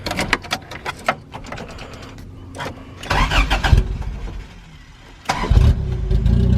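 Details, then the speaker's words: Freshly wrapped Toyota AE86 startup: uneven clatter, then catches around five seconds and settles into a strong, steady low run; runs smooth but still idles a little high, idle screw adjustment suggested. "There we go. Super smooth. Super responsive. This thing drives like a dream now. Still idles a little high."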